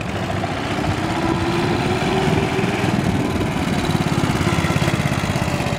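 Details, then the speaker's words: 1965 Cushman two-speed scooter, single cylinder, started cold on choke and ridden in low gear: choppy, uneven chuffing settles into a steadier low-speed beat as it smooths out; it probably needs fresh fuel and a good warm-up run, suspected. "like she's kind of smoothing out a little bit bike probably needs what I call an Italian tuneup that's some fresh Fuel and just get out there and get it warm"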